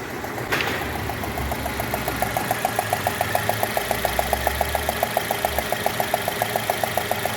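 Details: 2016 Citroën C3 1.5 at idle: sharp regular ticking about three to four per second, combustion gas puffing past a loose spark plug; engine noise fault, plug wells later found dirty.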